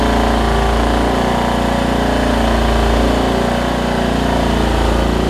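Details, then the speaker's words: Craftsman LT1750 riding mower, Kohler Courage engine, after getting fuel up to the carburetor: steady, loud single-cylinder idle with no misses, stalls or surging; now running well. "oh my gosh it looks good I think around long hey check that out"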